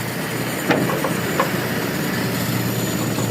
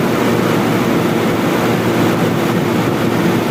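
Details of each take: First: Toyota Kijang Super with a new carburetor, idle mixture being adjusted: low, even warm idle with no stumble, just light clicks. Owner suspects the primary jet is too small or the float too low. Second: Toyota Kijang Super carburetor engine: a loud, rough, noisy run with an uneven tone during a hand-over-intake test. It is lean, short of fuel because the primary jet is too small.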